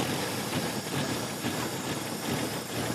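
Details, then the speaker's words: 1966 Pontiac Tempest with overhead-cam six that sat about 30 years, just after a rebuild: an uneven, lumpy idle with irregular pulses; the vacuum advance diaphragm is putting in too much timing, and removing it makes it run much better. "It idles now. Just still, you know, poorly. All right. So, I was looking down there and I could see the vacuum advance diaphragm putting timing into it."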